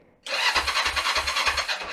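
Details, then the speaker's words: Kawasaki ER5 under restoration, not run for 7 years, battery recharged and only leftover fuel in the line: engine catches with uneven chuffs about three a second for under two seconds, then dies as the fuel runs out. "Ah bah, il n'y en a plus."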